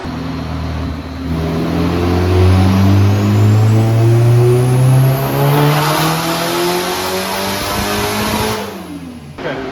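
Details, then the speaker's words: K-series-swapped Nissan S14 on a tuner-shop dyno, built engine down almost 150 whp and seeming not to hit VTEC: it revs hard, then stumbles and goes ragged near the top under load. Old hot spark plugs are suspected, and cylinders 1 and 4 show a compression difference of 13. "but the car's breaking up and so thankfully i brought some spare plugs"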